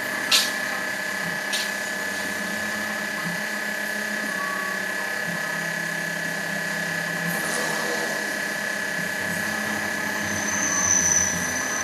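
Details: Hyundai Starex power steering: steady high-pitched hum over a low drone, no knocks, while the steering wheel turns; power steering hum when turning.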